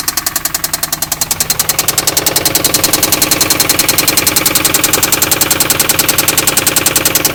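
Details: 2004 Infiniti G35 that developed a lifter tick; the shop found extensive gold-colored metal shavings in the oil, and 1000 miles after repair: heavy, very regular metallic knock about three and a half times a second at idle, louder as it settles; serious internal knock.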